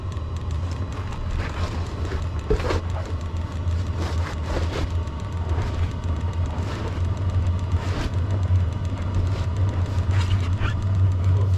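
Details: VEVOR diesel heater outside at about minus 18, low on fuel, battery around 10–11 V: steady low rumble with light ticks on top, even throughout; the heater has lit and is burning normally.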